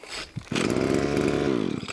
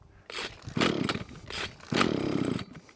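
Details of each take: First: Hitachi B230 two-stroke line trimmer on new cheap Amazon carburetor, after priming pumps: catches on choke, buzzes high and uneven about a second and a half, then dies; stalls, restarted on choke. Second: Hitachi B230 two-stroke line trimmer on new cheapest Amazon carburetor, just off choke: blips up and down, then settles into a steady, even buzz at a slightly raised tick-over, running better than before. Normal idle.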